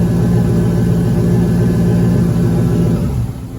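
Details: Turbo 5.3 LS in a Caravan has a deep, heavy knocking, tapping or clatter at idle that appeared under boost. The owner hopes for a broken ring land but suspects a rod or main bearing; it was restarted with an oil pressure gauge fitted directly to the block.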